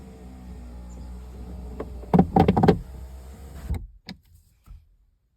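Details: 2016 Ford Fusion driver-side door: power window motor hums, then bursts of hollow knocking from a loose object inside the door, loudest when raising the window, which sometimes sticks or catches on it; cause suspected, not confirmed.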